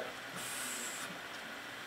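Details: Koolance MCP655 pump with variable setting, set to three, on a bench loop with PrimoChill PC Ice coolant during bleeding: steady high-pitched hiss and whir, no knocking; running smoothly.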